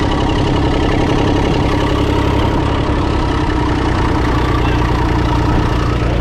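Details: International 454 British three-cylinder diesel tractor that missed when first started, running in neutral with the air filter removed: steady low idle with an even beat on all three cylinders and no skipping. Normal idle; a dirty air filter caused the miss.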